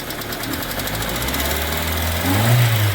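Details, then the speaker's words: Hyundai Getz petrol engine, not fully warm (about 40°C), idle then raised revs: light metallic hydraulic lifter ticking persists despite oil pressure present (about 4 at idle); lifter on cylinder 4 exhaust side found faulty. "Ну а штук конденсаторів не проходить тобто робимо висновок що причина стуку гідроконденсаторів не зв'язана ніяк з тиском маси"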